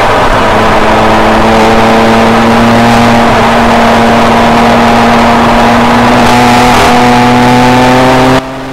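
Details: 2007 BMW E90 335i N54 turbo petrol on track with new custom transmission tune fixing shift misfire/flare; pulls steadily at full throttle, tone rising smoothly with no stumble or flare.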